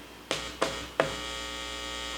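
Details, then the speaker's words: Heathkit AA-100 tube amplifier under restoration, power amp input leads touched with a screwdriver: three sharp pops then a steady low mains hum through the speaker; output section works, fault is in the preamplifier. "okay so we know the entire output section is working great that's not the problem the problem is somewhere in the preamplifier"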